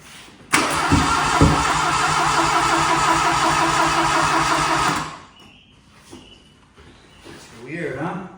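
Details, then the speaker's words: 1981 Plymouth Reliant/Aries K car, 4-speed manual, sitting about 35 years, weak battery: starter churns steadily about three beats a second with no firing; throttle found stuck open, possibly flooded; crank no start. "The throttle was stuck. Stuck open."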